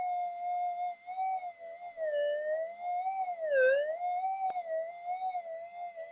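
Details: Minelab GPX-4500 metal detector with ghosting, input stage of the board heated with a hot air gun at about 110 °C: steady mid-pitched threshold hum drifting and dipping in pitch with brief sharper swoops, an unstable threshold.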